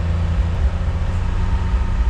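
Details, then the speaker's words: 1974 Chevrolet K10 farm truck, unused 15 years: engine-driven air compressor clutch clicks in and pumps smoothly, a low steady drone with even pulse and no knocks; pressure switch kicks it off at 100 psi once the tank charges. Normal operation. "pressure switch kills the compressor clutch once she's charged up this Tank's quite a bit bigger than the halftime compressor I heard a click turning oh yeah she's compressing"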